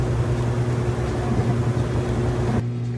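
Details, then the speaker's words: Kenmore stacked laundry center washer moving from rinse into final spin, draining water, lid open with the lid lock switch taped: a low steady motor hum with faint hollow cycling as the drum spins up, no knocking; normal spin start. "Okay, so now we're moving out of the rinse cycle into the spin cycle. It's draining the water out for the final time."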